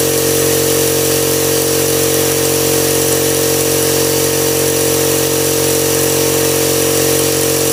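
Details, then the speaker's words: Husky five-gallon air compressor after replacing the pressure switch (it previously ran without cutting off): steady, even motor and pump drone at constant pitch, no knocks or rattles; now running normally. "oh yeah so that's fix cheap compressor got fixed and this is what it is five gallon"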